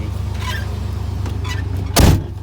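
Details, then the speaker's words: Engine at idle after start-up, which revs itself up high then settles: low even hum with steady pulse, no hunting or surging, one brief nearby clatter; smooth idle, owner reasons a vacuum problem would not correct itself. "So if there was like a vacuum problem, it wouldn't correct itself."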